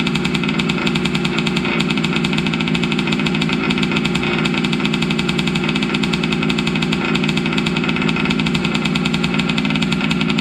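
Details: Losi 5T 2.0 RC truck's gas two-stroke on VP fuel, run after sitting about four to six months to wet the carburetor; hard steady high-pitched buzz, even fast firing beat, no misses, running clean and healthy.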